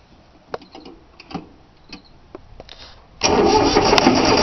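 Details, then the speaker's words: 3-cylinder Yanmar diesel cold start after glow plugs: a few light clicks, then steady starter churning, engine never catches; fuel lines not bled, air in lines, usually starts right up. "That old Yamaha seems like she ain't gonna start. I don't know what's happening with it."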